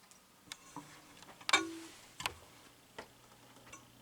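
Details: Early-2000s Quazar wall clock with quartz movement, just rehung on the wall: soft light ticks at an even pace in a quiet room with a few handling knocks; movement ticking normally.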